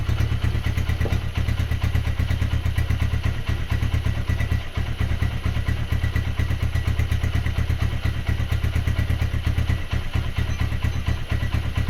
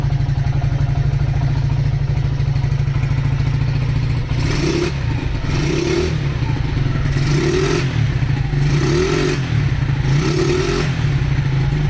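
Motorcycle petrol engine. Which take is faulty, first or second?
second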